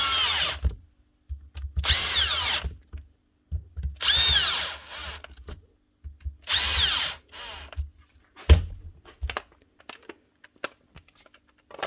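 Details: Milwaukee M18 ONEFHIWF12 1/2-inch cordless impact wrench after repair; it had rattled and growled and got a new rear bearing cover plate. Short trigger pulls now spool up cleanly with a smooth, even whine and no rattle: normal free-running motor.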